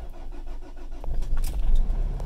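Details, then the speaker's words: Nissan X-Trail diesel on a cold start after glow plugs: cranks and fires, rumbles unevenly, then sags and dies; it is fine if held above about 1,500 rpm and recovers after roughly a mile; crank and cam sensors and timing chain checked. "it'll start up and then it'll just die instantly so he's got some sort of weird cold start idle thing"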